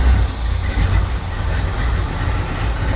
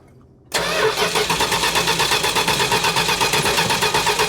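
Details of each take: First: 1969 Plymouth Road Runner V8 parked for decades: deep even burble with steady pulses, no misses or knocks, going straight to a smooth idle. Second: 1969 Plymouth Road Runner parked for decades, cranking steadily at a quick even rhythm with compression pulses but never catching; plenty of fuel confirmed, no ignition suspected, owner leaning toward the orange module box with an intermittent issue.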